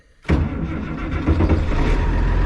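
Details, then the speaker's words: International 1586 diesel tractor with long-standing sticking fuel check valve, after adding diesel fuel additive: quick crank, catches immediately, settles into steady even chug; normal start. "so it started up but we it stay running I'm going to go and lift up my Implement get that up in the air if it doesn't I'll have to go but it seems to be running pretty well"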